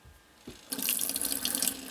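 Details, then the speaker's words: Off-grid tiny house cold-water plumbing, first pressurized run with a 7 A water pump on a 10 A fuse and rainwater in the tank: a strong, steady faucet flow splashes into the sink with good pressure, though it doesn't pour normally yet. "Running water everybody. Running water. I could take a shower with that."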